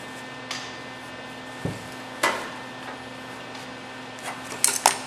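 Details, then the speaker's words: Camaro RS grille bodywork: sparse sharp hammer strikes with a clear bright ping as the hammer lands squarely over the dolly while planishing the welded tacks. Correct hammer-on-dolly ping. "this is hammer on doly you can hear that pinging that's what you want"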